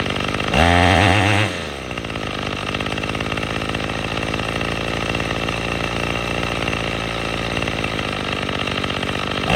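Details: Troy-Bilt TB22EC two-stroke string trimmer, after replacing an old primer bulb to fix a no-start from sitting: brief high rev burst, then steady even-firing run with no misses.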